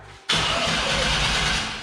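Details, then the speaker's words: Chevrolet C10 with a newly installed 350 V8, no fuel pressure yet, run on starting fluid: short crank, then a sudden loud catch and rough burst that fades within two seconds; fires briefly but won't keep running. "Okay, do it again. Oh no, you fired."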